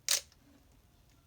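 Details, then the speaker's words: Minolta XE-5 35mm SLR with 50mm f/1.7 lens stopped down to f/16, shutter fired at 1/1000 s: one crisp, quick click with no drag or bounce; the shutter fires cleanly. "now we have cocked the shutter we can press the shutter button that was 1 1000 to the second"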